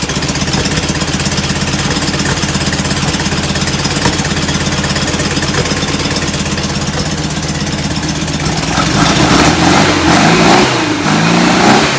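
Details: Rebuilt, enlarged performance VW air-cooled flat-four on first start: uneven puffing idle, revving up and down unevenly, running rich; suspected oversized idle jets despite bigger motor and air cleaners.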